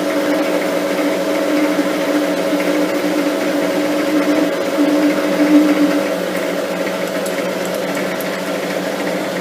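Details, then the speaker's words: Lathe turning the slender shaft of a lapping arbor with light cuts, speed slowed slightly: a faint uneven buzzing builds over the cutting hum and swells mid-cut as the shaft starts to chatter; a steady rest was then fitted for the final cuts. "We'll just slow the lathe down a tad. Starting to get, you can just hear it start to chatter a little bit."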